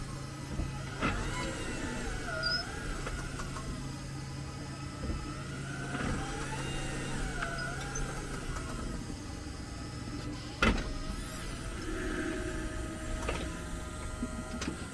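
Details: 2022 Jeep 4xe reversing then braking or shifting to P: wavering high-pitched squeal over a low hum; earlier only on rough asphalt, persisted after dealer cleaned brakes; cause not found.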